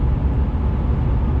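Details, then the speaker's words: 25-year-old Jaguar XJ6 X300 straight-six, garage check apparently showing no technical issues, recorded inside while accelerating past 3,000 rpm: smooth, deep, even drone through mid revs with no knocks or rattles; normal engine under acceleration. "um so yeah you passed three thousand in this one and it really gets into its power it's just so sweet"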